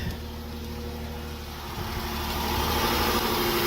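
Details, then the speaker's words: Silver Dodge Charger that won't start, started after priming and spraying flammable liquid into the intake. It runs steady and even with a smooth hum, no misfires or stumble. "now there you go we are running ladies and gentlemen all"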